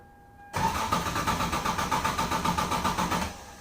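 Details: 1996 Lexus SC300 2JZ, manual W58, at about 60°F, colder than usual. The starter churns in a steady, fast rhythm of about four turns a second without catching: an extended crank and hard start before the fuel pump ECU bypass. Cause not confirmed.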